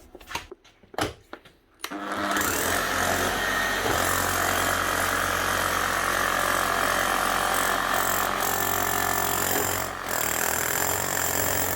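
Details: Makita HM1111C chipping hammer, previously overheating, down on power and hammering poorly, after full service and new armature/motor; after handling settles into steady, rapid, even pounding, no grinding or stutter; healthy.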